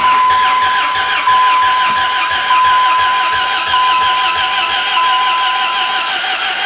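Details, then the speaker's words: Dodge Ram 1500 fitted with a replacement 4.7 HO Jeep Grand Cherokee engine, JTEC ECM mismatch, start attempts with a little throttle: sluggish, uneven cranking that catches and runs ragged then fades; starter suspected weak, cause unclear. "i think that's starter socks for one thing it just doesn't crank very well but now we're not running so what's the deal there"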